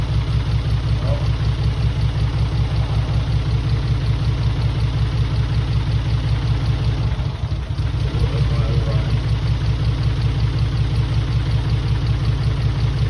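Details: Mitsubishi 3000GT VR4 replacement engine, first start: rough, lumpy idle at about two to three pulses a second with brief stumbles; owner suspects one or maybe two cylinders misfiring, possibly from old injectors that had been sitting.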